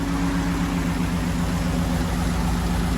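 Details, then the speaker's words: 1936 GMC truck with aluminum-block 5.3 L LS V8 swap, first start in about 60 years, on jack stands: deep, steady V8 idle with even pulse, no ticks or knocks; started right up. "It hasn't ran in, I would assume, at least 60 years. So obviously it's got a 5.3 liter. I've already had run before, so hopefully that's not too big of an issue, but I did have to modify a bunch of stuff. So let's see how it goes. Well, she started right up."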